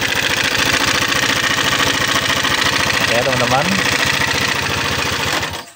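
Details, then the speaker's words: Honda PCX 150 scooter after the cam chain tensioner was replaced with an aftermarket manual adjuster set tight. Still rough and clattery, with a fast uneven metallic knock of 3–4 per second, so the cylinder head must come off. Finding: scored piston. "ternyata masih kasar ya, Teman-teman, ya. Jadi, kita mau enggak mau kita buka bagian blok head-nya, ya, Teman-teman, ya."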